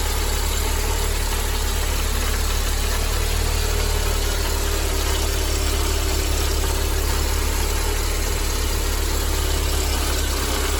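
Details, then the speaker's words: Mercedes-Benz 190E W201 2.0 (M102) at idle: a steady, gravelly rumble from a worn-out belt tensioner; the tensioner, damper, adjuster bracket and belt were replaced, after which the noise was gone. "ゴロゴロとした異音が聞こえたと思います。今回はベルトテンショナー、ダンパー、調整金具、ベルトを交換させていただきます。"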